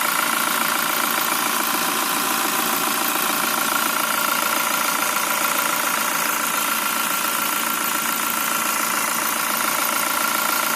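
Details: Toyota Fortuner VRZ idling: regular quick duk-duk knock, about three to four a second, steady throughout; idle knock of unknown cause.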